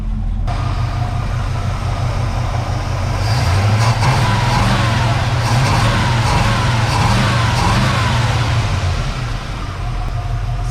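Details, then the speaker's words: 1970 Chevy C10 with a 305 small-block V8, after replacing a bent pushrod and fitting new gaskets: a strong, even V8 note revving smoothly with no ticks or knocks and good oil pressure. Normal revving, repair successful. "good oil pressures they're pretty healthy there it all sounds pretty sounds like it's hitting on all those Banks over there"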